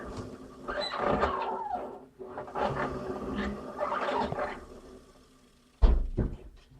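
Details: Samsung washing machine squeaking during the cycle: creaky squeals rising and falling about every second and a half as the drum turns, over dull thumps.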